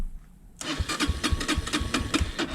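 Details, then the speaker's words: 2003 Honda CRF230F, hot start after jetting changes: uneven sputtering bursts that never settle into a steady idle, worse with half choke; hard starting, suspected running too rich. "See how she starts when it's hot. Not that great, actually. Should have fired off right away."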